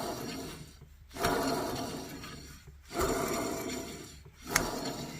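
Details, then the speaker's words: Audi A4 B5 old wheel bearing spun by hand with a gritty, rasping grind swelling and fading about every second and a half; worn and needs replacing, removed during a brake rotor and caliper job. "so it also needs to be replaced because it makes a sound yep"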